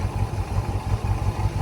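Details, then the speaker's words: Harley-Davidson F-150 V8 after replacing all eight coil packs and spark plugs: lumpy low idle, stumbling and skipping at about seven beats a second; misfire not from coils, plugs or cam, fuel injectors and pump to be checked next. "cuz I mean we're idling now not very good sounds like crap sounds like it's skipping but you know yeah"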